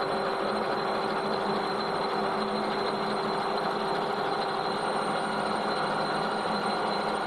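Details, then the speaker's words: Lathe spun up to test-machine a chromed steel rod from a shock absorber centre: smooth even spindle hum with steady high tones, no knocks or rubbing; the machine runs fine. "right okay that's fair enough that machine's all right"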